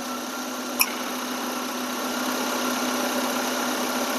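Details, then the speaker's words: Maruti Eeco idling with the AC compressor switched on; a steady hissy idle with one sharp click as the compressor clutch pulls in, then an even, slightly heavier run. Normal compressor engagement, checked while tracing an AC relay fault. "இப்ப compressor on பண்ணும்போது உங்களுக்கு அந்தஃீலிங் தெரியும். Difference தெரியும்."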